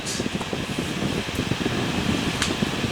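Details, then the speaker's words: Holmes HACP9 6-inch oscillating clip desk fan, made in the early 2000s, running on high: steady even air rush with soft motor hum, no ticking or rubbing; normal fan operation. "i'm starting to feel a gentle breeze this is the holmes hacp9 and it is relatively quiet as you can see here"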